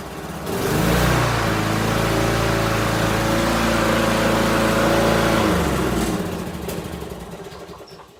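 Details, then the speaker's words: Free used small gas edger, only washed off, started by pulling a cable and stopped by pushing it in: the engine catches, holds a steady, even buzz for a few seconds, then winds down at shutoff. Runs clean. "This is amazing. All I really did is wash it off. Well, that was easy."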